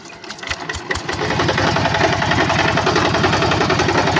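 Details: Yanmar TF-85 diesel on a tractor in a rice field; the owner reports rough running and a strong knock. A heavy, hard knock about three to four times a second hammers through the diesel clatter: main bearing knock.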